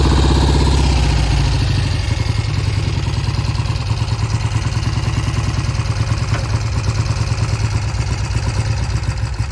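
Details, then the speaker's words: 1971 Triumph T120 650cc twin before carburetor work: idle with an uneven, stumbling beat of about three pulses a second, with the left cylinder cutting in and out; owner says it improves once warm, cause unconfirmed. "The left cylinder never came in consistently. I could hear it cutting in and out."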